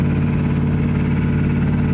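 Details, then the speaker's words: 1979 dually truck on a long interstate road trip, oil pressure dropping, oil topped off that morning: steady low drone with a fast, regular tapping every revolution. Rod knock, first heard faintly at a start-up the previous morning and now much worse. "I heard it uh I heard it Knocking when we got to I think it was yesterday morning I started it up and I was like man that doesn't sound good I even said like it sounds like a little rod knock but it wasn't bad"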